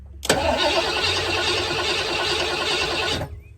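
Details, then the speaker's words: 1986 Ford Bronco 351 Windsor V8, sitting 16 years, cranked with the coil wire off to get oil to the bearings: brisk, even cranking for about three seconds with no dragging. It turns over healthy. "doesn't sound like there's any dead cylinders that's promising well actually sounds pretty decent turning"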